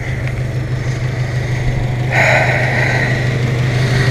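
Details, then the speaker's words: 1997 Honda Civic EX, D16Y8 VTEC, long-sat, idling unevenly on three cylinders with a stumbling beat; cylinder 2 misfire persisting after cleaning distributor cap contacts, new plugs, wires tested good. "okay so I've been trying like hell to figure out why this is only running on three cylinders"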